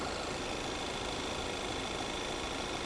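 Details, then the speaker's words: Car at idle with intermittent codes, fuel trims normal: steady airy hiss over a soft uneven idle, sounds like a massive vacuum leak, heard from the gap around the crankcase vent valve cover; unconfirmed. "god that noise is right here sounds like a massive vacuum leak"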